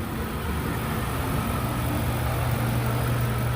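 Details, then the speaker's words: 2002 Lincoln Continental 4.6 L 32-valve V8 at idle after cleaning the mass airflow sensor and refitting the air intake: low, even idle with no shudder or stumble; idle misfire fixed. "bolt it all back down and now the vehicle's not stumbling or anything so that was the fix to"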